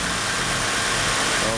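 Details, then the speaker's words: Mercedes-Benz W204 with M271 engine after timing chain system replacement (previously rattled on start and was blocked from starting by camshaft positions): first start, warming up, steady even idle without rattle or tapping; normal idle. "собственно работает могли корректно сейчас прогреваем смотрим все те чьи чтобы у нас все было нормально"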